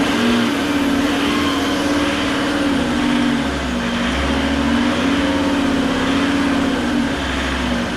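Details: Fiat Marea 130HLX, long stored in a workshop, first start after revival: with the code light off it starts but first cuts out, and needs throttle. Now the note rises and falls in slow swells about every 1.5 seconds, a hunting idle. Owner suspects something left off; cause unknown.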